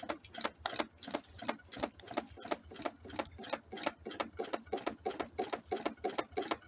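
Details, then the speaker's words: DIY wood-fired rocket-stove Stirling engine generator Mk4, on a rebuild after a hot-side seal blew out: soft, regular knocks about three per second like a bouncing ball; the natural rubber seal is likely striking the swing arm. "the first thing it's noticeable is the noise of the uh silicon seal U the natural Rubble one almost sounds like a ball bouncing also we've got a bit of a uh I think it's hitting the swing arm as well which doesn't help the situation"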